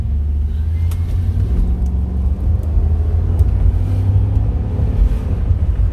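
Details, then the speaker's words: 2006 Chevrolet Impala SS, test drive after replacing bad wheel hub assembly that had grinding noise: smooth low road rumble, no grinding or growl rising with speed; way quieter, noise gone, hub healthy. "and i don't know if you guys could tell the difference from when before i changed it so now way quieter mice is completely gone"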